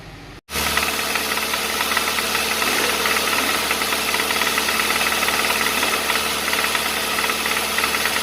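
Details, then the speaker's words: 2015 Hyundai Santa Fe recall engine, microphone in dipstick tube, at idle 550–800 rpm after 2,000–3,000 rpm hold: uneven tapping about four per second over loud hiss; knocking persists though noise test passed; cause unconfirmed. "어이없게 도 , 소음 이 여전히 들리는 데 도 소음 테스트 는 통과 했어 요 ."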